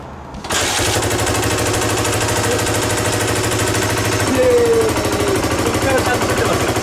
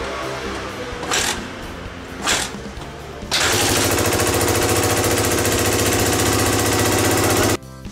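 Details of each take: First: Single-cylinder Suzuki DR250SH, about 30 years old, under restoration, fires up and settles into a steady, even thumping idle with a smooth note after two holes in the exhaust were sealed with cable ties; leak fixed. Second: Suzuki DR250SH single-cylinder bike, about 30 years old, under restoration, started after one muffler hole was strapped with a band: still harsh, loud, raspy exhaust; a second large hole found in the rusted muffler, exhaust leak.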